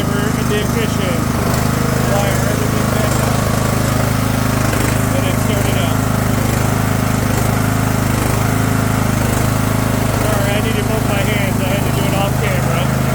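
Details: Craftsman II lawn tractor with a swapped-in newer engine and a bad key switch: small single engine running at a steady, even speed with a firm low beat, no misses or knocks; runs properly.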